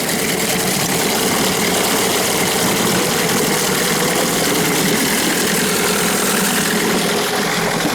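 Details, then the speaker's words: New Hangkai 9.8 two-stroke outboard breaking in in a test barrel, after the carburetor was rebuilt with seals fitted correctly: rapid even rattle at steady speed, slightly smoky. A misfitted cover gasket had caused an air leak and flooding of the top cylinder; it now runs properly. "Убираем в сторону. Немножко дымно и шумно."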